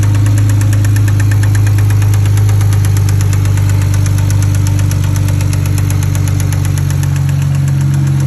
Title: BMW e90 Single Turbo 6762 Engine Knock